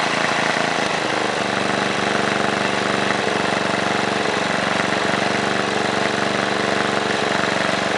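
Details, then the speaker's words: 1978 John Deere Tecumseh HM80 8 hp 318cc single-cylinder snowblower engine, restarted: fast, even buzz at steady governor speed, no misfires or hunting. Normal running. "you can't beat these older two comes to snow kings especially the HM line they were built really well and as you can see runs really well"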